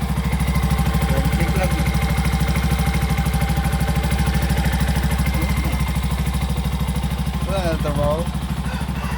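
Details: Bajaj RE fuel-injected engine after tightening the leaking throttle-body rubber/lock, which had made it die when the accelerator was released; steady, even putter about three beats a second, no stumbling or dying out, idles cleanly.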